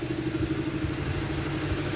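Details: BMW E90 320i petrol idling with a hard, clattering rattle, sounding almost like a diesel; earlier rough idle was traced to a spark plug, but the cause of the rattle remains unknown.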